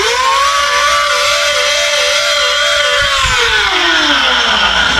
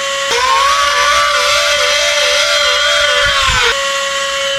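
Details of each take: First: Battery-operated mini vacuum, about two years old, whose motor screams with a wavering, warbling whine and harsh hiss, then winds down. The motor is running dry before being lubricated. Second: Battery-operated handheld mini vacuum after lubricating its motor: spins up to a clean, steady high whine with no grinding or rattle, sounding like new. Normal motor run after repair.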